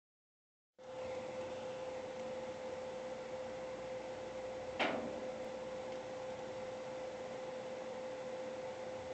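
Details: GPU fan whine starting when fan runs above 60% for over 5 minutes, growing louder over time: steady mid-pitched whine over soft airflow, constant pitch, one brief click.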